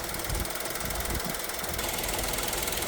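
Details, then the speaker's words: 2023 Kia Ray one-seat van, about 25,000 km, idling harsh and clattery with a knock-like rattle through a busy note; rough for a near-new engine, suspected neglected engine oil maintenance, cause unconfirmed. "여러분이 듣기에도 엔진 소리가 굉장히 안 좋죠? 엔진 오일 관리를 거의 안 한 차량 같아요."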